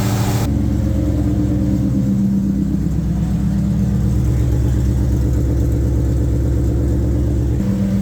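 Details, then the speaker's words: 2003 SVT Cobra with new fully forged engine, after tapping/knocking fix, warmed up to temperature after about 10 minutes: steady smooth quiet idle like a sewing machine, no ticking; hot oil pressure about 25 psi. "Motor's come up to temperature. Still sounds like a sewing machine. Perfectly smooth and quiet."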